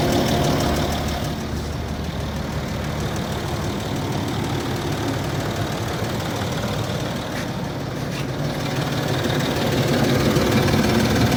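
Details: Land Rover Discovery 3 2.7 TDV6 diesel, hot engine at idle: a regular knock of about three per second riding over the rumble; hot-engine knock, cause unknown.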